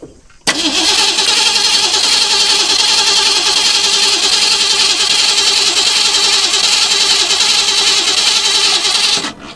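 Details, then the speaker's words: 1963 Ford Galaxie, sitting a couple of years, cranks at an uneven three to four beats per second without firing; no fuel drawn, near-empty tank suspected since parked very low on gas; crank no start. ">> He's not pulling up anything. >> You know, he did mention that when he parked it, it was very low on gas."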